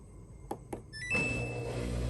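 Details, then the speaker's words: Samsung washer (WF45H6300A/WF45H6100A) after vibration sensor replacement for error 8E1, reassembled and set to rinse/spin: two quick button clicks, a bright start chime, then a low steady hum; normal start. "Power It Up make sure that it's working just give it a quick setting on the rinse spin"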